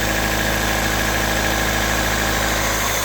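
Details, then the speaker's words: Honda K24 engine with about 315,000 km, running at idle: a light, fast ticking over the hum. Owner suspects the valves are starting to wear; not confirmed. "Ben franchement, on dirait que les valves commencent à être du m il y a 315000 kg aussi le bloc parce que il c depr"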